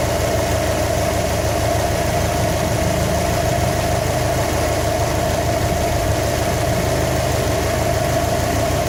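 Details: 2015 Subaru WRX STI at idle during engine knock troubleshooting: light, irregular tapping about three times a second over the exhaust drone; knock of unknown origin.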